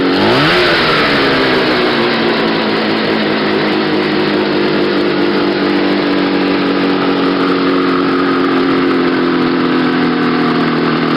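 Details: Restored and modified 1970 Ski-Doo Nordic snowmobile two-stroke: catches, the note rises quickly, then it settles into a steady, even buzzing idle with no knocks or misses.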